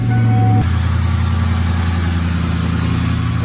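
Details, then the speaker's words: Used Ford Mustang GT with automatic transmission, freshly started; deep, steady, even V8 idle with no knocks or misses; sounds healthy, though it needs a new belt and power steering work (new pump on hand). "healthy it sounds healthy it needs a new belt and the power steering needs already done"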